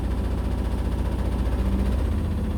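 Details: Indesit BWE101683 washing machine on an extra spin after a 1000 rpm wash: deep, uneven thumping rattle on the spin hum as the drum goes out of balance, blamed on uneven flooring that had come out of its slot under the machine.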